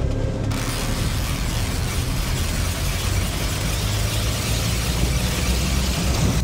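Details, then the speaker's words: Car driven on 3D-printed wheels and tires during a top-speed run at about 25 mph: loud rough roar with harsh rattling and clatter from the wheels; printed tires breaking up. "they're making funny noises that's like 25 M hour oh my God no way those sound like those are going to explode"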